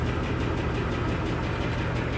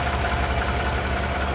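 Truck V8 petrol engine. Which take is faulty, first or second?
first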